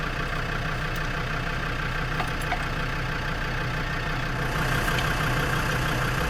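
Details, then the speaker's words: Lansing Bagnall Model A tug, Perkins P4 diesel in poor shape, just started cold after sitting long: low uneven idle clatter, missing a stroke now and then. The owner suspects injector trouble; oil pressure is good. "there you go guys a right a run y move missing a bit having inject of trouble not smoke"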